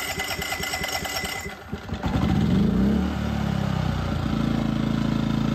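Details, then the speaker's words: EcoFlow Smart generator converted with tri-fuel kit, running on propane, load adjustment screw about four turns out, no load yet: cranks, catches and settles into even steady running with no misses; normal running. "all right well there we go now that's sounding a little bit better okay so that's about four turns out on the load adjustment screw"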